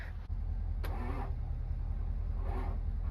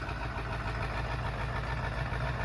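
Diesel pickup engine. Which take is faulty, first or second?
first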